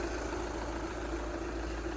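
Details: 2013 VW Jetta Sportwagen TDI diesel, 180,000 miles, idling right after fuel filter replacement: steady, even low diesel rumble with no misses or knocks; healthy, normal diesel idle.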